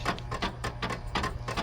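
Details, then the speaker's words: Abandoned 1992 Pontiac Firebird on a battery charger: irregular bursts of ratchety clicks about four to five a second over a low hum as the headlight motors strain and the dash flickers; abnormal clicking, owner suspects low voltage. "Because what was happening there, as that was clicking, the dash was flickering."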